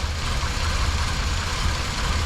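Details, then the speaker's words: Buick Rendezvous V6 at idle: irregular loping shake with misfire on all six cylinders, not fixed by the spark plug, thinner or carb cleaner; suspected EGR valve stuck open, tapped to free it. "lo otro se me ocurre como si la FR estuviera queriéndose Pues no sé tal vez o que estuviera pegada que se haya pegado"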